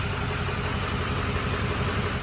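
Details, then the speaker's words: Freshly built budget 6.0 diesel: steady, even idle with smooth low rumble and no knocks or misses while codes are cleared; seems all right. "everything looking good in here just clearing some codes right now and uh I'll watch some data but everything seems like it's all right so"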